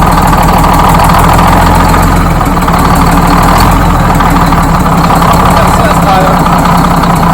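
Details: First start of a freshly rebuilt Detroit Diesel 6-71 two-stroke in GM bus 3751: loud, steady idle with an even, unbroken beat and no knocks or misses; the engine runs healthy.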